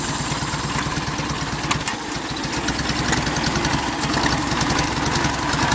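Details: Farmall Cub tractor engine at idle: the small engine chugs at an uneven idle with sharp pops every second or so. The cause of the popping is unknown and the owner is asking for ideas.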